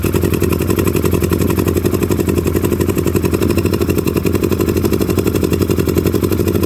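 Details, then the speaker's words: 2009 Polaris Sportsman 800 after fuel pump replacement, on hand throttle: lumpy, uneven running with irregular pulses and smoke. More work is needed; cause not confirmed. "yeah that's about how she's running folks so uh yeah i'm gonna have to gonna have to do a little more than just uh replace the fuel pump"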